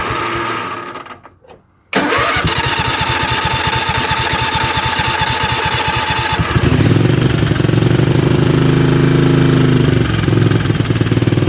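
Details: 20 HP Craftsman riding tractor that lacked power and stalled under load: catches after cranking into an uneven, lumpy chuffing idle stumbling irregularly; suspected cylinder miss, possibly a spark problem, compression problem or loose valves.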